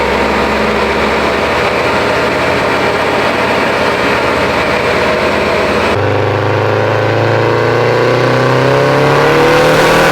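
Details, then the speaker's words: Built Subaru STI on the dyno after suspected faulty coil packs were dealt with: a strong, even full-throttle pull with pitch climbing smoothly, no stumble, pop or break-up; normal full-throttle acceleration. "a lot better than what we had before that sounded a lot better but i lifted it still just to check and verify i'm making some power"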